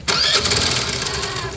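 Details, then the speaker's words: Old-model Activa scooter with a clutch problem: the engine catches and revs up with a harsh, rattly hiss and uneven roughness as the throttle opens. Abnormal clutch-related noise; cause not determined. "तो मैं आपको song सुनाओ तो आप clash में देख सकते हैं कैसी आवाज आ रही है"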